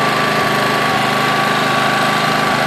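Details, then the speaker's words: Honda EX800 generator (120 V AC, 800 W max) just started after a tune-up, side cover off: steady, even drone with a slightly low pitch; Hertz meter shows 50 Hz, engine underspeed, needs raising to 60 Hz. "yeah so that's vibrating that means that 50 Hertz joy Nita I need to free up to get this running at 60 should be running at 60 Hertz"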